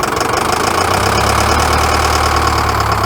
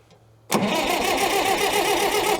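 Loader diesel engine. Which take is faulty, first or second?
first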